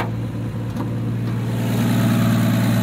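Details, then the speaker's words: 1965 Plymouth Barracuda, 225 slant-six, manual: steady idle with fast even tick about four per second; exhaust leak between intake and exhaust manifold. "got exhaust leak out here between the intake and exhaust manifold"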